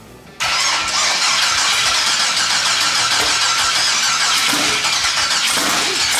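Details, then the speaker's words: 1200 hp twin-turbo LS Fox-body Mustang, water pump refitted and coolant bled, Holley EFI: catches instantly, strong steady idle with hissy top end after opening throttle body; healthy start. "flow hell yeah that sounds good dropped it down to four on the throttle percentage that seems to be working a lot better now"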